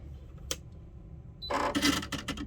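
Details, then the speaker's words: Baby Lock Presto II sewing machine, new, at power-on: a few sharp mechanical clicks then a quick rattly whirring burst as it resets; sounds broken but is normal start-up noise. "it sounds kind of strange. I mean, if I didn't already know, it kind of sounds like it's broken. But I'm assuming this is very normal."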